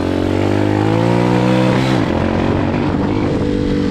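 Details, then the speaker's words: Hawk 250cc motorcycle, half choke: steady single-cylinder idle sags at about two seconds and stumbles, bogging out; owner suspects too much fuel and a faulty choke. "See how it runs with a half choke, it bogs out. It's giving it too much fuel."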